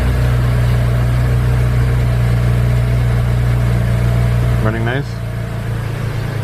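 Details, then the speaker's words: 2008 BMW 335i E90 cold start after sitting overnight, first start after replacing the EKPM2 fuel pump control module with an EKPM3, AC on: quick catch, then an even, steady idle with no misses or stumbles; healthy start, no long crank. "I have my AC on smooth but that was a good cold start pretty instantaneous"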